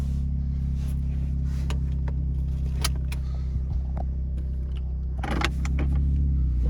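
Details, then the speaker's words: 2013 Honda Fit at about 183,000 miles idling: deep, loud, raspy, chuffing rumble like a race car that quiets after driving. Exhaust leak at the catalytic converter flange gasket, before repair. "sounds like a race car but it quiets down after you drive it for a while"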